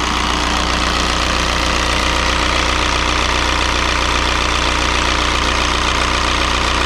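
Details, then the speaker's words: 2003 VW Jetta TDI 1.9 ALH diesel just after fitting an 11mm Bosch VE pump, air bled from the lines: steady, even idle clatter, no misses or stumbles; running smoothly, normal idle. "well it's settled into a decent idle pretty quick i think the air is out of the lines"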